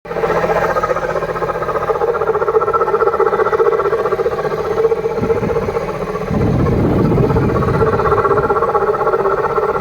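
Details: Mini N18 petrol engine (R56/R60 Cooper S, ALL4) idling with a buzzy mid-pitched hum and an uneven, abnormal chatter; high-pressure fuel pump is mentioned but the cause is not confirmed.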